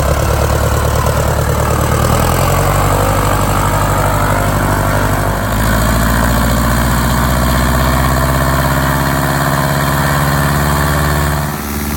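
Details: 1946 Piper J-3 Cub, first start and run-up after a four-year restoration. Lines took a minute to prime. Temperature was brought just over 100 and mags and carb heat checked good. Steady, even drone with no stumble; it ran great.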